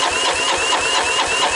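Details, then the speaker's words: 1985 Honda ATC125M single, freshly unseized after sitting abandoned, wet compression test cranking: quick even beats about six a second under whirring starter, no firing; only about 100 psi, owner hopes valves will seat after running. "i guess did i get about a hundred out of it that should be more than enough to start and probably after it starts and runs a little bit the valves will seat themselves a little better and she'll clean herself up"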